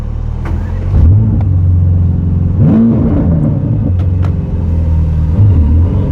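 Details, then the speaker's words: Mercedes-AMG GT Black Series V8 on the road home from the Nürburgring, with a sudden loss of power: deep drone that stumbles and breaks up unevenly as the throttle opens. It is misfiring under load, cause unknown. "Yeah, if I give it some, that sounds like it's misfiring there."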